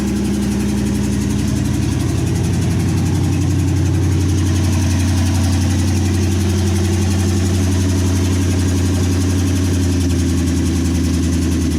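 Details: 1963 Chevy C10 with 355ci small-block V8 (350 bored .030 over), Turbo 350, reportedly low miles, second start after years sitting: loud, steady, lumpy idle through open exhaust, even pulses about three a second, no misses or knocks; temp gauge not working, normal idle.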